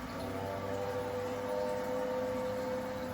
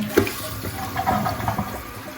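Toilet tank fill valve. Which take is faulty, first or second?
first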